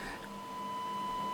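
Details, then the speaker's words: Yaesu FT-290R radio after the ALC transistor was refitted: a steady, pure test tone with no hiss or crackle underneath, where there was noise before. Receiver audio is now clean and crisp. "I have uh put the alc transistor back in and uh radio is receiving and maybe you can hear that uh the tone now is uh quite good without noise"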